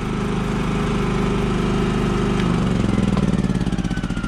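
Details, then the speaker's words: Repaired and detailed Champion 3400-watt inverter generator, final start: catches and settles into a steady, even idle with a smooth regular beat, no misses or knocks; good to go, normal start and idle. "so now let me show you one last time okay when I go ahead and start it you should start right up good to go"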